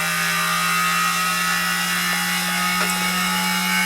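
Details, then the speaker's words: Soviet Peleng 1240GS gyroscope-stabilized binoculars, gyro powered at about 12 V from three lithium cells. Steady high whirring hum with a rough, hissy edge at full speed; the bearings sound worn but it still works. "Yeah, and the bearings don't sound that healthy anymore, but it works."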